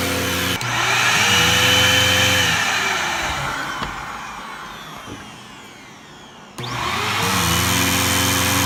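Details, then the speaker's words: Bissell CleanView II Plus bagless 3576M 12-amp vacuum with power loss: motor spins up with thin, wavering whistle and hollow sucking roar, a weak sad sound, then winds down; owner suspects loss of vacuum, not yet opened. "I'm gonna illustrate that when I turn it on it now just makes this sad sound like like it's not really into doing its job anymore so I'm gonna try to figure out if there's some loss of vacuum"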